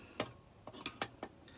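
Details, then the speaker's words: Stihl MS460 chainsaw crankcase halves being drawn together gently during case, bearing and crank assembly: soft, scattered little pops, about six in two seconds, as the cases seat; cause not known exactly, but the pops mean everything is working right. "That sound, this little pops. I don't know what causes them exactly. It's just the cases going together, but yeah, there's another little pop there. And it just means that everything's working right."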